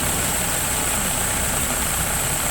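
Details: 2000 Saturn for sale, no check engine light, very little blowby: idle lumps and stumbles irregularly with a low, shaky throb. This is a rough idle misfire, cause not yet found.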